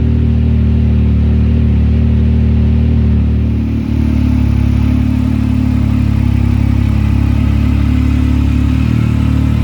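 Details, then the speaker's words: 2019+ Yamaha YXZ1000R after installing a Weller turbo kit: a steady, even low drone with no knocks or surging; it idles smoothly and sounds healthy. "That sounds good. Sounds alright. Promising."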